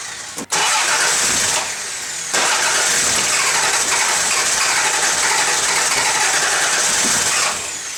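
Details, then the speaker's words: 1994 Toyota 4Runner V6, no check engine light, starts hard and stalls at lights, fuel pump running, half tank: cranks, catches, then sputters unevenly with a brief sag, running lean, suspected unmetered air leak into the intake. "bottom line is it just doesn't have the right air fuel mixture and it seems like it's lean you can hear it kind of sputter and I could seen a backfire or something"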